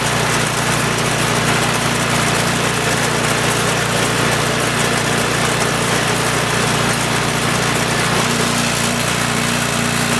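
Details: Troy-Bilt Storm 2840 28" snowblower (model 31AH64Q4711) with a Chinese-built 277cc OHV engine (about 8 hp); first pull-start of the season at full throttle. Steady, even fast idle with a buzzy exhaust note and no knocks or misses; normal idle.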